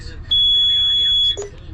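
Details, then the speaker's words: Hewescraft 25 Alaskan boat with twin 200 Honda V6 outboards, engine idling: single steady high-pitched beep of about a second from the chartplotter, the AIS proximity alarm for a nearby ship. "Yeah, it's showing me that alarm's going off on that ship over there, the AIS."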